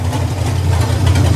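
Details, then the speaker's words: Project car after shortening plug wires and fitting new terminals, hot weather: deep steady idle with an even beat and no misses, running smoothly on all cylinders, no sparking. "As you can hear, there's no missing. Everything runs smooth."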